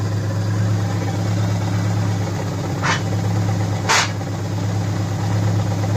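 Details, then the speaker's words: 2004 Subaru Impreza idling just after engine re-assembly with a JB Weld-repaired stud (coolant-burning fix), coolant burping: steady low rumble, no skips or stumbles, two short hissing bursts; no misfire, no check engine light. "Well, it doesn't sound like it's missing. No check engine light? No check engine light."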